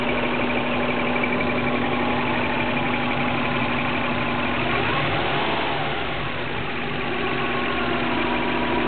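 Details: 2003 Subaru Legacy with 2004 WRX engine swap, fully warmed idle: thin constant squeak over steady idle, only once fully warm; source unknown.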